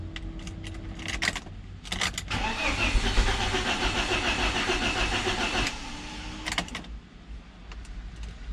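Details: BMW Z3 engine, reassembled by a first-timer after a timing chain job, cranked again with spark plugs out to build oil pressure before first start. Fast, even, light cranking with no firing; normal plugs-out priming crank.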